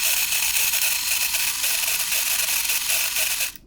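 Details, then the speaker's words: Canon 1014 AZ Super 8 camera with sticky trigger, after disassembly and bending trigger contact plates; high, fast ratcheting film-drive whir continues several seconds after release then cuts off abruptly; motor runs on as trigger sticks. "see once you press the trigger again it just kind"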